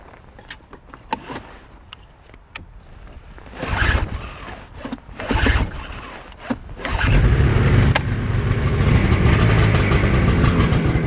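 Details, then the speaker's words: Used Ski-Doo MXZ 600 two-stroke snowmobile, cold start at 17°F on choke: a few sharp pulls, then catches and settles into a steady, even run; starts cleanly. "ah and we have success"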